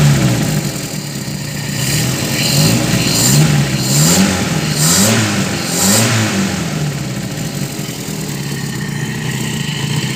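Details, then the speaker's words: Restored 1980 Toyota Kijang KF-10 pick-up: engine blips up and down through several clean revs and drops back to a steady idle, with no metallic rattle or ticking and no exhaust smoke; the engine sounds healthy. "Dan bahkan ini untuk mesinnya kebilang masih oke, karena knalpotnya juga gak ada ngasep, gak ada suara metal, gak ada ngeletrek."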